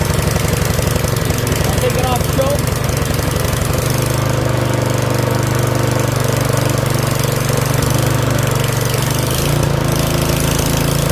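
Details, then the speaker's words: Yard Machines 21-inch 179cc OHV snowblower, a curb find with possibly old fuel: fast chugging electric starter crank for about four seconds, then it catches and settles into a steady, loud run; electric start works. "That's actually a full run. Runs just a little bit, but might be old fuel."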